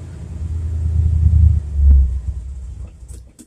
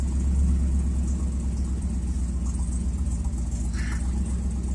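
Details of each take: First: 1978 Chevrolet C10 stepside truck with 307/350 V8 from 1971 Nova, cold start after sitting in garage; low rumble surging and sagging unevenly, rough before warm-up, owner says okay once warmed up. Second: 1978 Chevrolet C10 stepside truck with 307/350 V8 from 1971 Nova, warmed up at idle; deep even rumble, steady low burble, no knocks or misses; good-running healthy engine.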